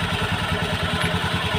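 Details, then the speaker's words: Honda Beat scooter CVT, throttled hard and then released: hard, rapid "kletek" knocking about eight times a second over the engine drone. The knock quiets briefly when water is sprayed on it; worn clutch shoes are hitting the bell. "Terus setelah digagasnya ditarik terus dikecilkan Di ada suara kletek kletek kletek kletek tetap ada"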